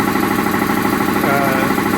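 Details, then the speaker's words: New 80-gallon dual-piston Delta air compressor, Big Yellow, just hooked up: a loud, even pumping drone with a fast, steady pulse and no knocks or squeals; normal running. "I don't know if you can hear me, but Big Yellow's hooked up and running. We're finally back in business."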